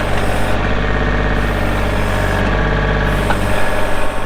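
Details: 2024 Kubota L2501 compact diesel tractor with loader, backhoe, hydrostatic drive and 35 hours. Steady, even diesel clatter and low rumble at idle with no knocks or misses; a normal idle.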